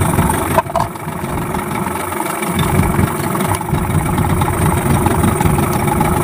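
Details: Yamaha 15 hp two-stroke outboard after a repair for hard starting and lost power caused by stuck piston rings and a clogged, narrowed exhaust: steady two-stroke buzz with an even beat and no misses or rattles; normal running.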